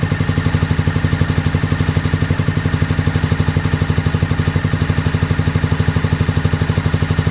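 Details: 2001 Honda VFR Interceptor (Gen 5) V4 with White Bros slip-on, barn-stored nearly a decade; lumpy low thudding about four beats a second, stumbling, misfiring on fewer cylinders; runs only at half to near full throttle, 1,800–2,000 rpm; owner suspects mouse-nest exhaust blockage.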